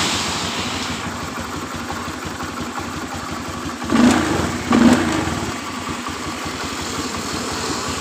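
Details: 2013 Honda Beat FI scooter with a kick-start spring/dynastarter, restarted after a fix for high fuel consumption: steady, even idle with two short clean blips around the four-second mark that settle straight back. It idles normally.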